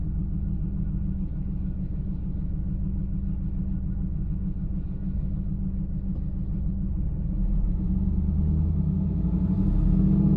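Lumpy V8 idle with an uneven, loping beat that breaks rhythm before the revs climb at the end; a misfire, cause not yet found.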